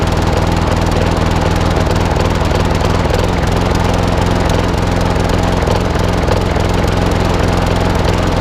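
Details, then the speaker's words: Old Masport lawnmower with a Briggs and Stratton engine, after a full service: loud, steady run whose beat stumbles now and then with a slight miss; owner suspects the carburettor needs cleaning again, possibly the coil too. "doesn't run too bad but don't forget this is quite an old girl it's running barren what it was it's talk a little bit of a Miss on it it could be a carburetor again"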